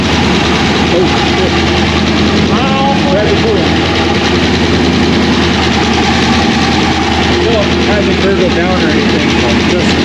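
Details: 2001 Pontiac Trans Am WS6 with a roughly 500hp cammed LS1 on its first start since dyno break-in, still untuned on stock injectors and MAF: loud, rough, rhythmically loping choppy idle from the big cam, otherwise running healthy.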